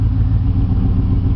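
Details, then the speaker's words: 2002 Chevy 2500HD 6.0L V8 throwing code P0300 and running rough for about 20,000 miles, despite new intake gaskets, fuel pump, regulator, injectors, plugs and wires, with coils tested OK: a deep, lumpy idle with a stumble. The misfire cause is unknown. "as you can here it doesn't run as smooth as it should it's been doing this for about 20,000 miles now"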